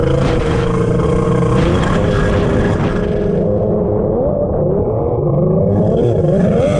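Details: Two-stroke X2 jet ski on the lake: a rough drone surges and sags, boggy and rich, despite repeated leaning of the carburetors. It was finally traced to a water leak inside the hull.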